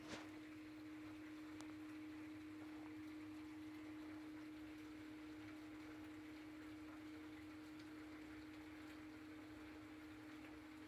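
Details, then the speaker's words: Sump pump after foam was added so incoming water stops trapping air bubbles under it, and after turning it off briefly to clear an air lock: steady, even electric hum at constant pitch with no surging; pumping normally again. "that'll let the air bubbles go out now the pump works normally again"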